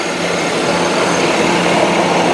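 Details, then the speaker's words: 2000 Ford Windstar SEL minivan, engine idling: steady, even idle hum at constant level with no knocks, ticks or misses; engine sounds really good and runs very well. "Now, of course, the heart and soul of every machine is the engine and transmission. Now, this one sounds really good, and it does run very well, by the way."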